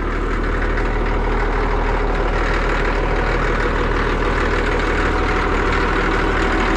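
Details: Cat D6D dozer diesel warming up: deep, steady idle with an even beat and no knocks or misses. Healthy engine.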